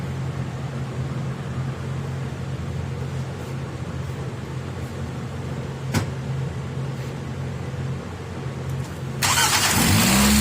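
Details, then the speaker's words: 2004 Nissan Altima 2.5L after warranty starter replacement, old starter's pinion not fully engaging the flexplate and scratching: starter spins briefly and the engine catches and rises cleanly, no scraping or grinding; normal cranking and start. "Definitely sounds a lot more confident."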